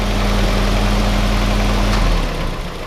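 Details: Willys CJ2a Kaiser L134 Go Devil engine after head gasket replacement, thermostat fitted, still smoking black and losing coolant, idling without clutch pressed: loud low idle with rough uneven thump about four times a second; knock present, source unclear.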